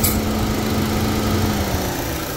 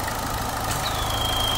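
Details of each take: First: 2014 JH Holden Cruze with code P0171 (lean bank 1) and low boost, fuel trims strongly positive. With the dipstick pulled, a steady airy hiss is heard, the idle splutters and trims rise to 66–67%: a vacuum leak into the crankcase from a split PCV diaphragm. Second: 2014 JH Holden Cruze at idle after fixing a P0171 lean code caused by a split PCV diaphragm, with a new rocker cover fitted: even idle, faint thin hiss from the dipstick, no loud purge noise as before; normal.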